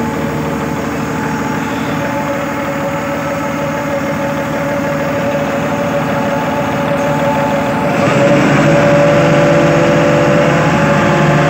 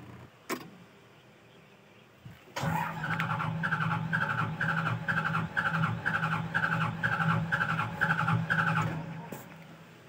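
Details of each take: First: Hitachi Zaxis 200 excavator diesel after throttle/accelerator cable fix, cable previously tied with string: steady even idle then picks up cleanly to higher speed and holds smoothly; accelerates normally. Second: Hitachi Zaxis 200 excavator reported low power, hot engine: starter cranks about two compressions a second for six seconds but diesel never catches; mechanic suspects throttle problem, not confirmed.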